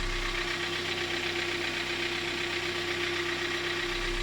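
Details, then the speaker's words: 2012 Hyundai ix35, G4KD engine, 130,000 km, warming idle as revs drop: light uneven ticking over steady hum and hiss; owner reports knocking cold and hot, possibly scored cylinders; source not confirmed. "вот сейчас тут слышно что начинает он прогревается обороты падает и уже начинает цокать"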